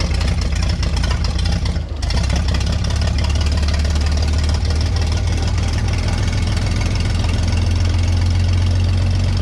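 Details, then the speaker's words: Vintage Scoopmobile LD5P articulating loader (thought late 1940s–early 1950s), sat at least 15 years; with spark on the points, engine catches and keeps running on its own at a low, heavy idle after a brief dip; coolant level unknown, run kept short. "Yeah, we got a runner."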